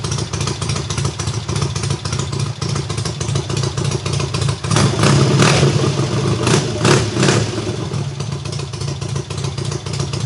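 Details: Triumph hardtail, first start after the engine sat almost a year: full cold start on the third or fourth kick, loud crackly exhaust settling to a steady idle with sharp blips, no mechanical knocks; runs cleanly.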